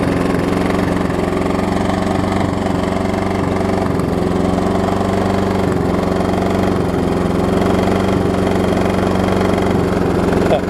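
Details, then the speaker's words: Blown Briggs engine on a Troy-Bilt self-propelled mower at wide-open throttle, with heavy blow-by smoke: uneven dull knock under the steady drone, a worn-out engine knocking. "You hear it knocking too. Fun sounds."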